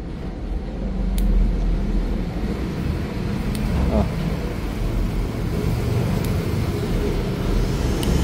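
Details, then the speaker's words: RX King New oil pump after restoration: spring restored to original after a KW (non-original) part was mixed in. Sharp little clicks every two to three seconds over a low hum; the pump gear now turns and clicks as it should, where before it gave no click. "Giginya juga sekarang main, kliknya juga sekarang keluar. Kalau tadi awalnya yang ini kliknya nggak keluar."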